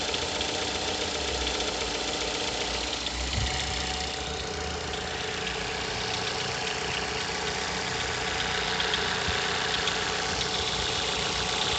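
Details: Mazda 6 GH 2.0, cold idle after long standing at 1000-800 rpm: uneven light knocking through the engine hum; disappears once coolant temperature needle starts rising; unexplained cold-start knock, source not found.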